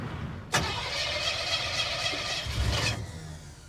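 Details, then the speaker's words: Junkyard 1957 Chevy Bel Air fitted with a small-block V8 and Turbo 350, on a 90° day: the engine catches, runs roughly a couple of seconds, then dies. It is starved of fuel; the filter seems low on fuel and the fuel pump is not pumping. "and we're dying we died oh that was brief all right well let's put a fuel pump in it yeah I don't think there's much fuel in that filter and it's just kind of spurting into"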